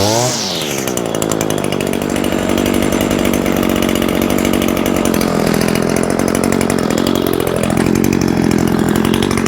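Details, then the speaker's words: New Echo SRM-225 two-stroke string trimmer on first run: crisp buzz revs up fast, settles into a steady, even run and picks up again smoothly; normal running, though the owner notes a slight rattle. "This Echo though, guys, I'm pretty pleased with this, and just listen to that sound."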